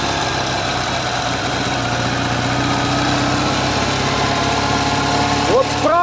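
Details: Ural motorcycle with sidecar, cold boxer twin idling with a steady, even beat and no knock or tap from the right-hand cylinder; that side is fine.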